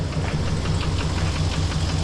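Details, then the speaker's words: 2016 GMC Sierra 2500 6.0 at idle after other fixes: sharp, regular knock about six or seven times a second, plus a small exhaust leak; owner suspects a lifter or a main or rod bearing, unconfirmed, and removes the valve covers next. "f so I fixed all those and yeah I mean it's running good just has that darn knock"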